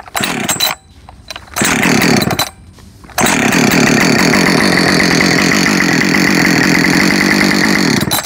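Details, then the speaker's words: Husqvarna 562XP Mark II chainsaw, new, fully warmed up after cutting, stock muffler: hot restart, short pulls then catches and settles to steady even idle without needing high idle, unlike owner's 562 Mark 1; normal hot start. "oh re uh hot start now it's definitely warmed up right let's just see if it's a one"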